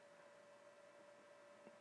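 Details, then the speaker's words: Anycubic i3 Mega-S 3D printer after fan upgrade, starting a print: only a faint steady soft hum under light hiss, no rattle; board fan runs quietly and healthy, far quieter than stock. "now that we should have most of the fan issues taken care of let's go ahead and start another print and just judge how loud the printer is now the board fan already started you can barely hear it running"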